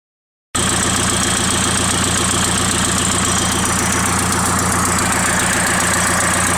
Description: SR20DET with something that sounds like an exhaust leak.